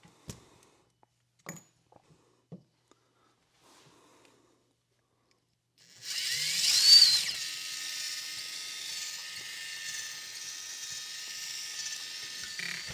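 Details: RC crawler axle, the side with the proper ball-type CV joint, steered at an angle: after a few light taps, a steady high-pitched whir with faint grit comes in as it spins evenly. It is running normally with no speed fluctuation.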